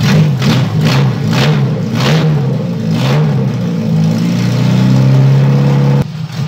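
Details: Fiat 147 under restoration, freshly installed engine just started in the car: several sharp throttle blips, then a steady, smooth, even run with no knocks or misses; normal revving.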